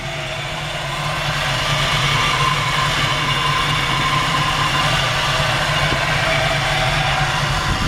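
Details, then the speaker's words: 1941 Chevrolet Coupe engine with serpentine belt system, aluminum radiator, electric fan and brand-new Borla exhaust at idle: an even, settled idle with a smooth low burble and steady beat, no misses, ticks or knocks. The engine runs perfectly; normal idle. "You can just hear the engine runs perfect. It's got a brand new Borla exhaust system on it. It's got a fine sounding exhaust."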